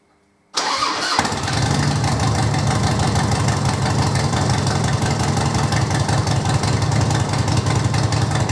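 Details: 2005 Harley-Davidson Electra Glide with the 88ci V-twin, about 2,500 miles since rebuild, started in neutral during an oil service. Starter catches within a second into a steady, even idle with no knocks or misses; healthy.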